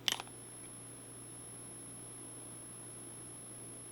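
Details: Electroluminescent (EL) lighting inverter with on/flashing switch, before modding: after the switch click, a thin, very high constant whine over a low hum as the transformer coil sings from component vibration; fix planned is neoprene foam and hot glue.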